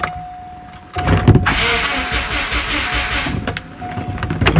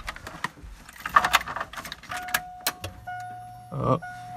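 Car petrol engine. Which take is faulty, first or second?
first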